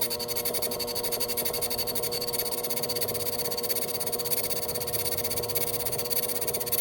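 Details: Lathe facing a bench block: a ringing metallic cutting tone with fast, uneven pulsing because only part of the face is in contact; interrupted cut, unlike a solid cut.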